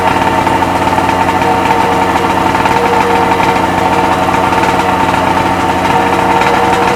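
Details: Freshly rebuilt Sea-Doo XP 720 two-stroke, driveway run on flush hose, pump disconnected: steady buzzing idle, even unbroken note, no knocking or misfire; purring along, normal idle.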